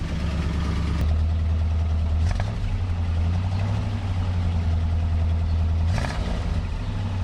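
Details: 1967 Buick GS340 after the water pump and points replacement: an even low idle with a couple of clean throttle blips and no miss or knock. There is less smoke; normal running.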